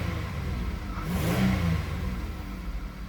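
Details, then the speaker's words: Buick with a 3800 V6, free-revved after a cold start in the rain. Smooth, clean rise and fall over a steady low idle with no knocks or ticks and rain hiss behind; very healthy sounding. "very healthy sounding 3,800"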